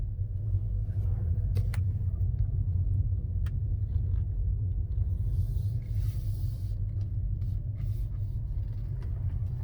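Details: 2019 Tesla Model 3 Performance, steering turned about 80% to the right: low steady rumble; worn driver-side front wheel hub, noise gone after the hub was replaced under warranty.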